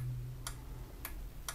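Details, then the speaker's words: New Nivona 690 coffee machine dumping ground coffee into the tray: microswitch on the gearbox clicks three times under a continuity tester with no beep, beeping only when pressed fully, so the contact is faulty. "это хорошо. Но то, что в момент щелчка нет у нас звукового сигнала, это плохо."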